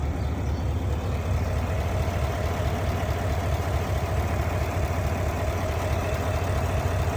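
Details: GMC/Cadillac petrol engine idling with a deep, uneven pulse of about two stumbles a second, a misfire with the check engine light on.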